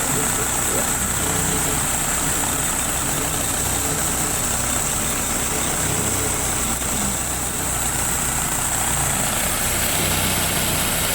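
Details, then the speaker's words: 2000 Saturn, no check engine light, little blowby: steady idle with an irregular stumble about four times a second and sputtering exhaust; engine shakes at idle but not while driving, misfire cause unknown. "Yeah, it seems weird to me that it shakes like that. You don't notice it going down the road"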